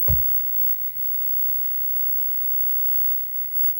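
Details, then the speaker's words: Pop and snap over a faint hum from a 25" K7000 arcade monitor: flyback arcing from too much high voltage caused by a brightness mod for a weak tube; only red showing; flyback to be replaced and mod undone. "red appears to be the only color we have so we have only have red and we need to make sure those color pots aren't bad we only have red and that flyback is popping and poofing and not good I can hear it"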